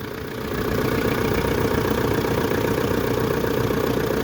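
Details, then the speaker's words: Pajero/Montero VRX diesel jump-started with a jumper pack after glow plugs, picking up and settling into an even, moderately clattery normal idle; air filter new, seller said serviced. "sounds good to me"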